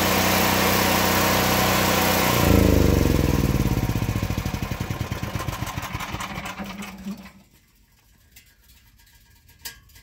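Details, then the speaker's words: Predator 8750 generator in a shed, over 2 years old: fuel shut off with some left in the carburetor bowl, then switched off; steady drone slows into separate firing pulses and coasts to a stop, metal ticking as it cools; normal shutdown. "So there we go, generator's off. You can hear the metal cooling down."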